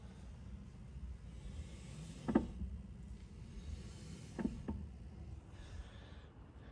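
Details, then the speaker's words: Tesla jacked up at rear left in tow mode, wheel turned slowly by hand on new tires: a few sharp, separate clicks over a low hum, wheel stiff to rotate; suspected wheel bearing causing speed-related whine after a minor rear-end accident. "I jacked up the car and make sure there is at least few like a hand space Gap and now the vehicle is in free motion if I rotate the wheel you would hear that clicking sound let me move it"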